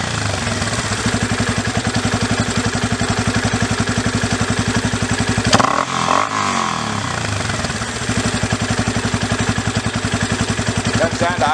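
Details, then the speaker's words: Yamaha Raptor 350 single after carburetor rebuild, idle screw backed out about an extra turn from 2 turns out: steady thump, quick blip drops straight back to a clean idle without stumbling, no hiccups; idle speed good. "down to idle smoothly. Doesn't have any real hiccups either up or down. Idle speed seems good."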